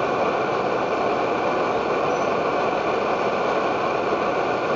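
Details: Edward Hexon backpacking stove run on white gas (Coleman fuel) fed by a 20 cc syringe instead of its pump: steady, even roar with no sputter or surging; burner running cleanly at maximum output.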